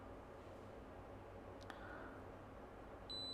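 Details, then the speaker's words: Kaiweets KM601 multimeter in auto mode on a phone board: quiet room, then a steady, long, high beep as the probed pin shows continuity to ground. "yeah see like this one's ground and it beeps long beep"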